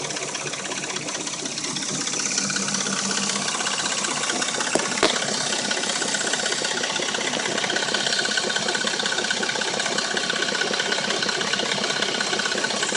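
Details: Dodge Intrepid at warm idle: a fast, steady metallic ticking rattle with no rev change, plus a knock. It occurs only when warm; cold, it sounds like a new engine. A timing chain rattle is suspected, unconfirmed.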